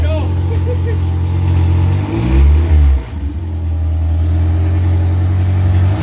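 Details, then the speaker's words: Honda K24-swapped AE86 Toyota Corolla on first start, no coolant, missing about half its sensors: four-cylinder drones at a fast idle, takes a quick blip and settles, slightly uneven rough running; heavy blow-by noted. "that's pretty good with missing half of its sensors and realistically he's missing quite a bit"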